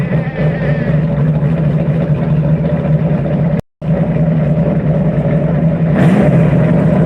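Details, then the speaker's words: Lotus Type 66 race engine fired after priming: deep, strong engine note with a brief cut partway, then it picks up and runs steadily; normal race engine start. "we are going to Prime the race engine on this car which means it sounds like it's going to be starting twice but that's all we're doing we're just going to prime it and then we're going to fire it"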